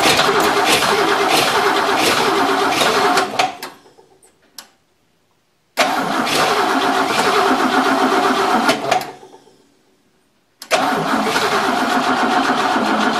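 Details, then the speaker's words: 1963 Oldsmobile just reassembled, gas poured into the carburetor, battery low: three cranking bursts of about three seconds at roughly four beats a second, never catching. The owner says it sounds off and will recheck the plug wires; cause unconfirmed. "it's something something seems off I'm going to check the plug wires again just to make sure but just don't sound right"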